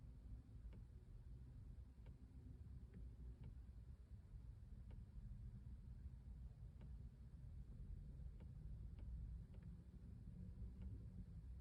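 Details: Quiet ping/drip-like tick heard inside the cabin, seeming to come from the right passenger side: faint sharp ticks about every second, unevenly spaced, over low cabin rumble; intermittent tick, source unknown.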